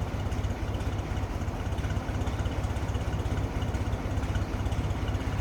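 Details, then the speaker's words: 1923 Buick Model 34 Roadster, original inline four-cylinder with three-speed manual, just started easily: slow, even low chuff at about two beats a second, smooth and steady without misses or knocks; normal idle. "see how easily that started this is original listen to it purr wow"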